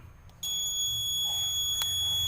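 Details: Pressing power on a washing machine control module gives one continuous long beep and the buttons don't respond. A 2W 330k regulator resistor had failed open, which damaged the SMD transistors for AC detect and the inlet solenoid.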